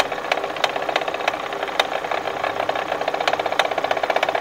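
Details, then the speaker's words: Kia whose recall-replaced engine began knocking again about a month later: right at the water pump, a rapid regular ticking rattle over engine hum, suspected to be a worn bearing driving the water pump pulley. "from what we see the water pump is making a lot more noise there's a bearing inside that drives the water pump pulley um they often go bad it's very common"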